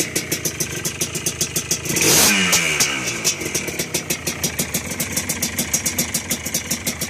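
Crisp, even popping idle with one quick blip of revs that drops back cleanly; the fresh two-stroke is running healthy.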